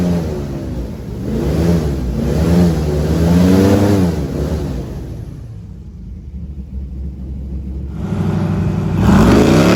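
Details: LS3 V8 airboat under load coming out of the hole on the water where it used to act up: deep pull up and back through revs, clean and even, no miss or popping; fixed.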